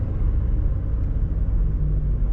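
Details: 2004/2005 car, about 20 years old, driven after a clutch repair; the clutch had been noisy from under the hood and finally seized. Steady deep road rumble, smooth even engine note, no grinding or chatter; normal driving.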